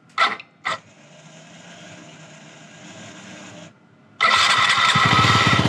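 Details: 2007 Yamaha C3 XF50 fuel-injected scooter during restoration, after fitting a replacement fuel tank, started on jump charge: two short starter bursts, then catches and settles into a quick steady putter; starts and runs fine.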